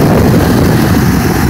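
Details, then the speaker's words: 2000 Chevy Impala LS 3.8L, freshly rebuilt with lingering hydraulic lifter tick: cooling fan now kicks in with a heavy steady air rush, no rattle, after fixing a bad ground in the fan circuit. "in there you go see it's kicking in just fine now due to this bad ground here here"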